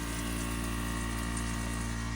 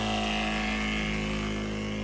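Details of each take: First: Solar-powered RV pump feeding drip irrigation from a rainwater tote runs with a steady low drone and thin hum, then a knock and it dies; water in the pump box, hose came off the pump outlet. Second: Solar pump feeding drip irrigation from a rainwater tote: smooth, constant hum with steady tone, no surging; flow improved after diverting to two hoses, as too much pressure was going to one hose.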